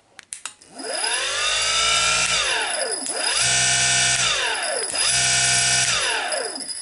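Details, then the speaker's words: Bosch Rotak electric lawnmower motor (about 2010, just over 1 hp, 1700 rpm, 1900 rpm in "overdrive"), removed, old battery: whine climbs to steady high pitch, coasts down, restarts three times for overdrive; smooth, no grinding. "yeah you can kind of put it in overdrive by starting it letting it go and starting it again listen you can kind of hear it"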